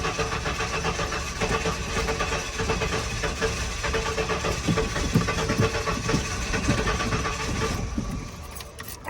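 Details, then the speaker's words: 1996 Ford F150 that won't start: starter churns evenly for about eight seconds, engine turns over but never fires; crank no start, starter seems healthy, owner suspects fuel issue, possibly dead fuel pump (no pump hum heard). "All right, we got crank but no start. So, starter seems pretty healthy. Everything seems pretty healthy."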